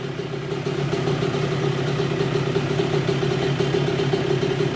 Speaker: Okay, so let's get this all put on the bike and fire it up for the first time. think she sounds pretty darn good.